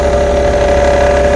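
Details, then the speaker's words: Petrol car idling in gear with brake pressed: faint tinny buzz over low exhaust drone, rattling at idle from a loose heat shield on the catalytic converter, found by prodding the shields. "bei dem hier merken wir sofort einen Unterschied das heißt hier ist Blech vom Katalysator ist hier locker geworden auf der Seite"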